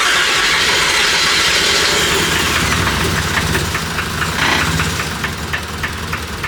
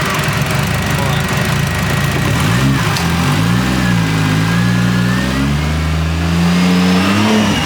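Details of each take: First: Toyota 1JZ-GTE built engine swapped into a Nissan 350z, first start-up: ragged, stumbling six-cylinder revs on throttle blips, a very bad misfire. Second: Scratch-built 1JZ-GTE swapped into a Nissan 350z on first start-up, revved to about two grand: catches, rises and drops back to a steady even idle on its own at about four percent throttle; ran and idled good.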